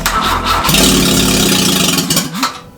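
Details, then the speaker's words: Grandfather's Peugeot 104, with carburettor and ignition refitted, no exhaust or gearbox fitted: cranks, catches and revs raggedly, then sags and dies. Won't hold idle; owner suspects the missing exhaust makes it too lean. "pot d'échappement comme tu as pu entendre était pas monter donc la voiture à papeete ne tiendra pas ralenti"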